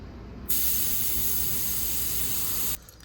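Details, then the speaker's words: 2003 GMC Yukon (GMT800) AC recharge: sharp steady hiss for about two seconds as air is purged from the charging line through the Schrader valve after tapping the refrigerant can. "Now there's some air in this line, so what we're gonna do is we're gonna open this up, and then we're gonna purge it out of this little Schrader valve right here."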